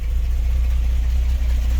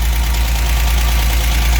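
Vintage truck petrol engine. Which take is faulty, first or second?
first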